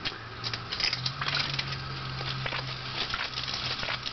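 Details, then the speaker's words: WarP 9 electric drive motor just removed from the car and turned slowly by hand: uneven gritty crunching and scraping with sharp crackles. It still spins fairly freely; debris and chunks fell out, possibly brush debris. Internal damage suspected. "as you can hear there are bad crunching noises but it's not too bad and the motor spins reasonably freely so that's pretty good"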